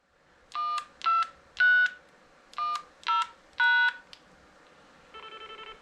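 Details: Portable DMR/analog repeater with a GM300 radio and a ZR310 controller: six DTMF tone bursts log in, then a quick run of short even beeps while the carrier stays up, showing the code was accepted and setup mode entered.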